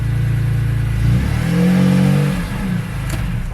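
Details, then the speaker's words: S54-swapped BMW E36 on a cold start after an exhaust rattle-delete attempt: a quick rev rises and falls with a coarse, buzzy rasp on a moderate exhaust note; exhaust still raspy. "nope it's still raspy"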